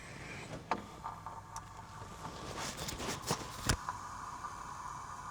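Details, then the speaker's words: Mercedes E320 central locking: lock clicks then steady humming as vacuum pump runs against big vacuum leak in the actuator; only one lock cycle works. "Hear the leak? That's a vacuum leak. This whole system is vacuum operated, which is what this line is right here."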